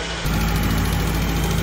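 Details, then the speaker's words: 1999 Acura Integra coupe at idle just after an oil change: a light quick ticking in time with the engine; lifter tick persists, loose valve lash suspected before valve adjustment, lifters possible otherwise. "all right so we just finished the oil change on it and the lifter tick is definitely still"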